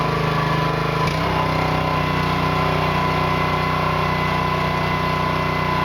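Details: New Honda GX200-clone single-cylinder engine on a finished Split-Fire 2265 wood splitter, pump mounted: steady, even drone at constant speed, no misses, knocks or surging; normal running.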